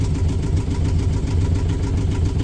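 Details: Yanmar diesel on the sailboat Sarabi idling after its first start; firm, even clatter with a steady pulse and no stumbles; normal idle.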